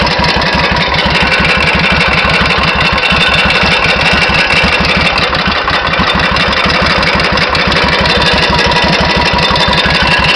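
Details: 1991 Suzuki VS1400 Intruder V-twin, true mileage unknown (engine supposedly ~24,000 km); sharp metallic hammer-like tapping about twice a second over idle, quickening with revs, louder on the other side; engine knock, cause unknown.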